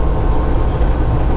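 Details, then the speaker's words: Truck diesel at cruise, a steady deep drone with no knock or tick over road rumble; the earlier noise is gone after adding another bottle of Lucas, following a recent fuel filter and oil change. "So anyway, so I put another bottle of Lucas in there, and yeah, man, she's doing great. You guys can obviously hear that the noise is gone, right?"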